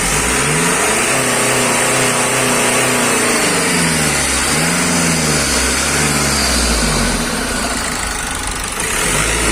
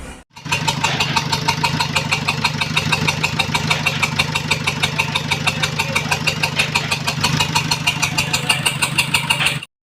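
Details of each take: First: Nissan X-Trail T31 2.0 dCi M9R diesel after a full engine rebuild, following overheating and a cylinder 3 misfire (P0303) with low compression: idles evenly, then revs up and settles back smoothly, all cylinders firing. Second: Nissan X-Trail T31 2.0 dCi M9R diesel running on three cylinders, code P0303 cylinder 3 misfire, after overheating from a burst coolant pipe; lumpy, uneven diesel clatter at idle from the dead cylinder.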